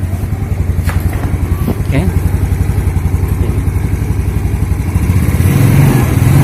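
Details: Yamaha Mio Sporty just started after fitting Daytona carbon kevlar CVT clutch shoes, replacing worn original shoes that slipped: even putter at three to four beats a second, no rattle or judder from the belt side. Clutch engaging cleanly.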